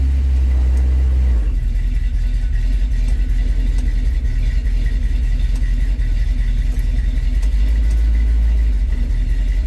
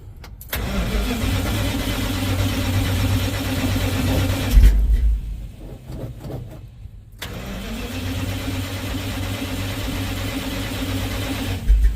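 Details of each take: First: 1970 Dodge D100 V8 at operating temperature, back on factory-style ignition and 600 carburetor after problems traced to a Holley Street Dominator intake; fires quickly and settles into a deep, steady, even idle after a rev, no misfire or knock, oil pressure good. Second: 1970 Dodge D100 pickup with Holley Street Dominator intake: two long ~5 s bursts of steady cranking with no firing; no spark while cranking, to be bypassed with a jumper wire to coil positive.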